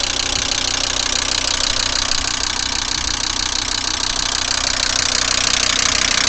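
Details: VW Crafter 2.5 TDI diesel started on a frosty morning: harsh idle clatter with a sharp, evenly spaced knock about three times a second that appeared after the cold start; diesel engine knock, cause unknown.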